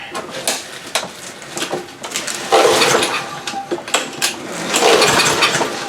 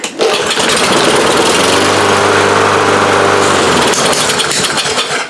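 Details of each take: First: Free roadside Lawn Boy push mower, tried in garage without air filter, damp from rain, old fuel left in tank: repeated pull-cord cranks about every two seconds, never catches; no-start, carburetor suspected. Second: Lawn Boy push mower after carburetor repair, previously no-start: catches within a pull and settles into steady even buzzing run with no misses; normal start and run, carburetor issue confirmed fixed.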